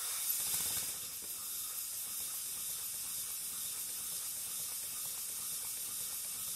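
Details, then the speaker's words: Pennsylvania A3 switcher model steam locomotive on air after removing piston rings and sanding pistons: self-starts, soft even slow exhaust puffs, no knocks, runs freely and smoothly on as little as 4 PSI. "That is now running beautifully. It self started like butter and it's running much slower and more comfortably than it was."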